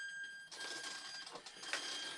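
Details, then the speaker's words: Trojan T-28 RC warbird after swapping a stripping aileron servo, powered up on the bench: quick whirring buzzes over a faint steady whine as servos sweep smoothly; normal servo operation after repair. "and it definitely looks like it's working correctly now"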